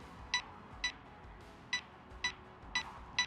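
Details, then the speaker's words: Antigravity A1 360-camera drone flying close to a tower during 3D mapping: six short bright chirps about half a second apart as obstacle avoidance proximity warning triggers. "There is a bit of obstacle avoidance kicking in right now. That's because of how close I am to the tower itself. That's why you can hear all the beeping going on."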